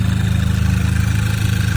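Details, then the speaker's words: Audi A3 8P 2.0 TFSI (oil separator/PCV valve replaced for weird idle, check engine light still on) idling smoothly with an even low pulse; the little whistling heard before is gone — normal idle after repair. "but it sounds that I don't hear the little a little whistling son I used to hear from that anymore"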